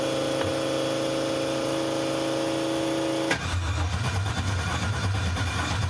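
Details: Newly built 6.2L L86 Gen V LT V8 with Holley Terminator X EFI, first start attempt: long steady starter whine then low churning rumble, never fires; data logs show no crank signal or RPM, crank sensor to be replaced.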